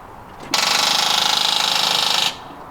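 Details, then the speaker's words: 1997 Jeep Cherokee Country, battery drained by running the radio with the engine off; fast even machine-gun clicking under two seconds with no crank; flat battery chattering the starter solenoid. "huh listen to that so what happens when you run your car radio run your vehicle well run the car radio without the vehicle running you kill the battery"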